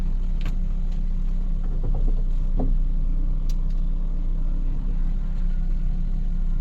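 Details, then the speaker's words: Engine with P0300 misfire codes on cylinders 4 and 2, after ignition coil replacement, idling in reverse and drive: deep even rumble with no stumble or shake; smooth idle. "Se siente muy bien. Ahí está. No tiembla absolutamente nada."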